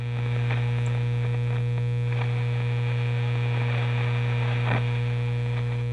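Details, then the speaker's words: Monarch shortwave/AM radio before repair: loud, steady low hum with a buzzy edge that stays the same whether the volume is up or down; classic mains hum from bad filter capacitors. "this is a monarch radio it's got a couple of short wave bands of course al and it's got a classic filter hum turn this thing on it's not super bad but it's still very annoying"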